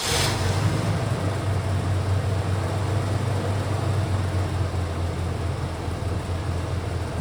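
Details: Old OBS Chevy truck, previously no spark and backfiring, traced to the distributor: steady even low rumble, no misses, pops or backfires; engine idling smoothly and running healthy.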